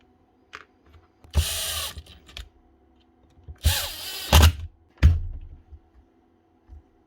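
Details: Dewalt cordless planer after repair: a few short trigger bursts, each spinning up to a clean, even whir with no rattle or grinding; normal running.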